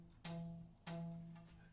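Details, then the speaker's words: Camaro LS with blower and race accessory drive without auto tensioner, belt set to about 270 on the tension gauge: two sharp plucks give a deep clear ringing twang; correctly tensioned belt. "So for anybody who's wondering, and you're probably like, that is a shitload of tension on that belt. I mean, listen to it."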